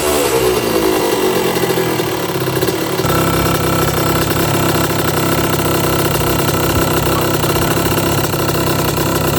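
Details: 1982 Suzuki RM125 two-stroke during restoration, after suspected carburetor starvation and a part swap: catches and settles into a busy, even crackle with no misfire or knock; sounds nice, running healthy.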